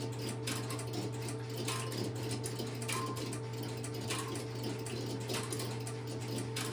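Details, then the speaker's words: Stromberg Carlson X-Y telephone switch, camera at the equipment, after a call is placed: steady low hum with crisp clicks roughly every second as the interrupter cycles; normal. "Hey, I've relocated the camera to the Stromberg Carlson XY equipment and I will place a call into it and you will Hear the interruptor start and run."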